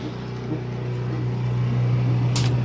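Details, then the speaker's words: Whirlpool-type washer on drain and rinse: steady low hum rising slightly under load as the drain pump pumps water out normally. "there she goes there she goes she's draining in rinse she works"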